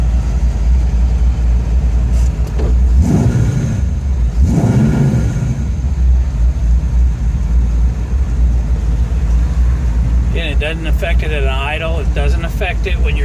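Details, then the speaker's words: Ford F100 with Edelbrock 1405 carburetor, cold and still on choke: engine idles, then misses and stumbles when throttle is cracked slightly, picking up with more opening; off-idle stumble, attempted fix didn't cure it, cause unconfirmed. "i don't know if you can hear it but you know it's missing stumbling still not warmed up yet"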